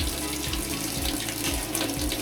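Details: 13-year-old Whirlpool top-load washer with low water pressure (weak fill in mornings): steady gushing of water into the tub at strong even rate, filling normally at this moment; fixed by cleaning the inlet filter.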